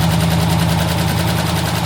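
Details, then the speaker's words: 20-foot Daimler Majestic Major Hemi V8 limousine, cold start on choke: deep even rumble with quick steady firing and slight cold shake; healthy idle. "that's nice that that sounds really [Music] lovely little bit cold a bit shaky sounds really nice doesn't it"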